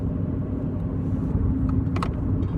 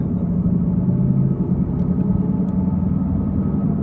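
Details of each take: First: Chevy Cruze at about 53 mph after front wheel bearing replacement: steady low road rumble without the previous loud roar, with possibly slight rear wheel bearing noise. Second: Chevrolet Cruze on test drive: loud, steady low roar from a badly worn driver's side front wheel bearing, louder when turning right and quieter turning left.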